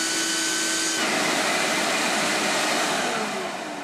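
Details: Hoover Steam Vac Deluxe after repair of the pump and brush motors, with the partially clogged brush vacuum-motor intake screen cleared: steady high-pitched whir with airy rush, pitch dipping slightly near the end; motor and brush running normally.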